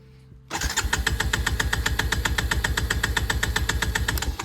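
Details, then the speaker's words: Powersports machine on a new KemiMoto lithium battery, cranked with gas off as a battery strain test: fast, even cranking pulses, about eight a second, steady with no slowing; starter and battery healthy. "Crank it up. See if the battery wants to hold voltage."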